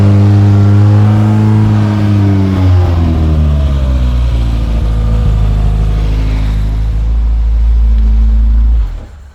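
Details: Saxo VTR-engined Hillman Imp on motorbike carbs, first start after two years off the road: the engine revs up and settles, pitch rising and falling smoothly with throttle, then cuts off. It runs properly, though fuel is lost afterwards, apparently at the carbs.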